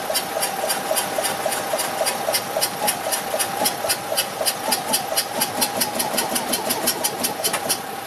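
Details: Abandoned Invacar with a 493 engine, first start attempt in 14 years, jump-started from an 847cc car with new ignition fitted, choke and extra petrol: sharp pops about four a second coughing back through the carb, never settling. Owner suspects timing.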